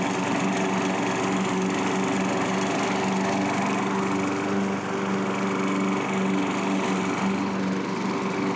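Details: Curb-found self-propelled Craftsman mower after carburetor cleaning and reinstall; steady, even drone at constant pitch with no stumbling or surging while cutting: normal running.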